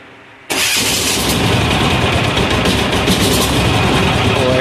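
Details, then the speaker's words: Amazon 186FA diesel fed filtered used synthetic motor oil, with diesel added: catches abruptly, then runs rough and knocky without settling; stumbling start from air pockets in the fuel line. "pocket we've already got some of that nasty oil in the line yeah we got a good old air pocket in the line there"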